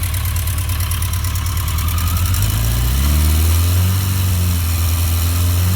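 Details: 1982 Yamaha XJ650 Seca four-cylinder idling, then revving slightly, with a light, fast tick above the engine note; the owner is worried about the ticking and its cause is unknown.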